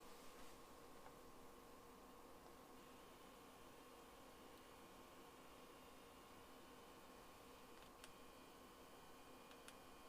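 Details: PS5 game console making an abnormal quiet, steady electrical buzz with scattered sharp ticks while in game; cause unknown.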